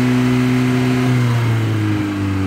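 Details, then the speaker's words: 1977 Honda Civic CVCC, Hondamatic automatic, 97,803 miles, overhauled engine and carburetor, cold start. After running on full choke until smooth, it idles on half choke while warming up: a steady, slightly raised idle with an even low hum. Normal. "Choke is very important for starting a cold motor, and today I started it with full choke, got it until the RPMs were nice and smooth, and put it in half choke for a couple minutes until the engine warmed up and no longer requires the choke to run."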